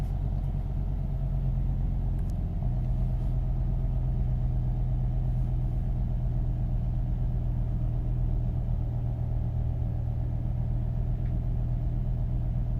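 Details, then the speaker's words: 2005 BMW M5 with S85 engine: a deep, uneven, lumpy rumble under revs as one cylinder misfires. The ECU cuts injection with reduced power, watched on cylinder 5; cause undiagnosed, suspected to be a wiring fault. "I don't know if you can hear the ref our rough the engine is running look at that one it's taking a bit this time"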